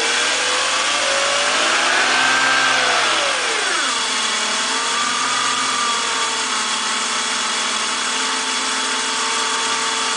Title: BMW M54 weird engine noise purr.